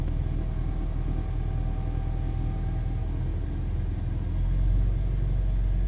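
Uneven, wavering low rumble at idle just after a cold start, the beat never settling; rough running with the cause unconfirmed.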